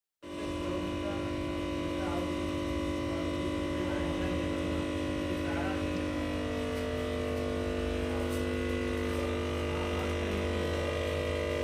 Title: stabilizer humming sound problem